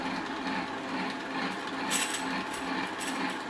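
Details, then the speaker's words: 3000GT/Stealth 5-speed AWD transmission, open and drill-press spun in neutral: light, irregular metallic chatter a couple of times a second, dead center inside the gear train. Not the input or throwout bearing; owner believes the 2/3 or 3/4 slider is the cause. "I believe that's the second and third, or third and fourth slider. It's making all the noise."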